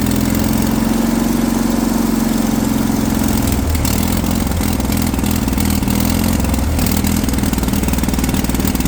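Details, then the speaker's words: Kohler pancake twin on a three-wheeled street sweeper, run for the first time after sitting over 20 years, with a fuel pump that would not work properly: even drone, then the note drops and it stumbles and surges; fuel starvation. "fuel pump would not work. I'm keeping quiet here, guys. You can appreciate the sound of this thing come to life first time again."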